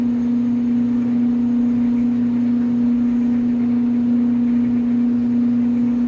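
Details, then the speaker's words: Clothes dryer just started in winter on timed dry with bed sheets: loud, steady low drone with faint pulsing. Loud only when cold, quietens once motor warms; seasonal quirk, worst in winter, cause unknown, no performance impact. "comparison runner just kicked on all right so it's running nice and loud i'll come back when uh it's warmed up a little"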